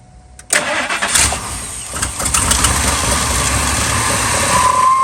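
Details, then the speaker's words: 2000 Ford F250 5.4 2V V8 in freezing weather, restarted after idle air control valve and throttle body cleaning: cranks, flares up, then settles into a steady, even idle; running better, normal idle. "it's running it's running better already guys I'm expecting this to clear up"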